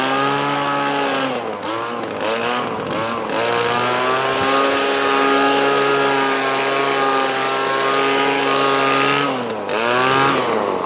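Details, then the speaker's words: Echo ES2400 leaf blower after priming and choke: high buzzing pitch that sags and recovers; copy carburetor with only a high mixture screw needs tuning. "so Prime now what we're doing a lot is missing missing and bogging last time"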